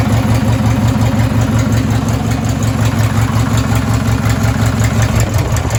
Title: Rod knock, probably going to blow up the race mower